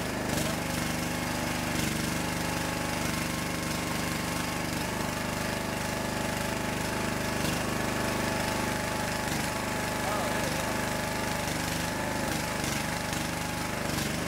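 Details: Small single-cylinder engine on a homemade wood splitter, after fuel system and wiring work and refilling hydraulic fluid: steady fast chugging beat, holding speed evenly with no misses or knocks; normal running.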